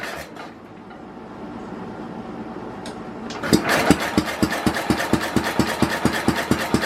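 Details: 1967 Simplicity Landlord 2010 lawn tractor after a carburetor cleaning: steady starter cranking at about two compression pulses a second, never firing. No-start with ignition timing way off, and a split carburetor cover gasket is also noticed.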